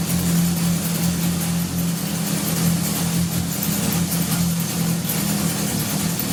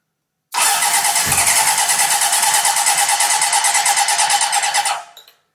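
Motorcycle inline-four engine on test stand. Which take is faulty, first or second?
second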